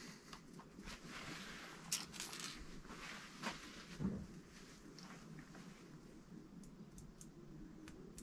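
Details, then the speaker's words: DT Swiss R470 rear hub turned by hand after a clean-out with brake clutch cleaner during a bearing replacement and ceramic upgrade. Sharp ticks come from healthy freehub pawls snapping back; the springs were inspected and are okay, giving a nice clicky sound. "So that's a lovely, I can hear it clicking there, just flicking back, so that's really good. Hub cleaned out nicely. Just a little inspection of it all, everything's okay, springs are okay. Nice clicky sound."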